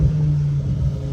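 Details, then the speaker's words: BMW M5 S85 SMG on test drive after installing TTV lightweight flywheel and OEM Sachs clutch: deep steady exhaust rumble with clean rev drop, no clunk or flare; downshifts smooth and healthy. "The downshifts are nice. The downshifts are nice."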